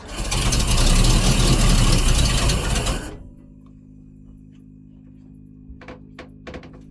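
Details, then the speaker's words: Volvo Penta 454ci V8 boat engine, first start after fitting an HEI distributor with the rotor off the old mark: catches hard, runs rough and loud about three seconds, then falls away; ignition timing over-advanced. "Sounds like it's out. I won't be surprised. No, she's out of timing."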